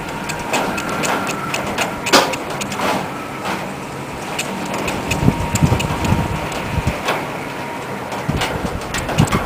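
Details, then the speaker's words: Homemade mini wind turbine with a longer carved prop and rounded tips, in moderate gusty wind: a thin, steady high whine swells with the gusts, the normal sound of the alternator's magnets passing the coils. "especially when the wind kicks up a little bit. That's the magnets passing the coils."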